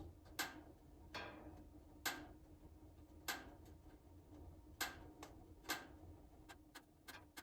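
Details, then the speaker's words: Buck wood stove steel firebox during lighting, door just closed, flames spreading to engulf the logs: sharp metallic pings about once a second over a soft fire rumble, speeding up as the fire builds; normal thermal expansion of the firebox metal. "and now it's really starting to go you can hear that pinging increase in speed you can see the flame get a lot bigger it's really starting to engulf all the logs here"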